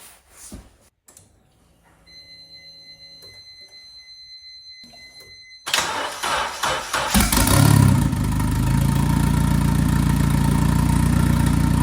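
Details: Honda K-series engine swapped into an Infiniti G35, first start: a few quiet beeps, a short crank, then it fires, revs up and settles into a steady, even idle.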